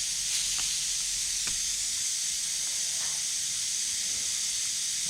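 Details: 1969 Chevy Nova heater core under roughly 20 psi pressure test: a steady, high-pitched air hiss holds constant, changing as the leak is traced; heater core leak.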